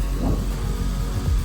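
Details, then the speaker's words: BMW E91 325xi wagon that sat three years, just started after replacing a box on the back: deep steady even idle rumble, no knocks or rattles; sounds healthy. "How insane. It's alive. What the heck? That's sick. Good to know. Sounds good. Sounds healthy."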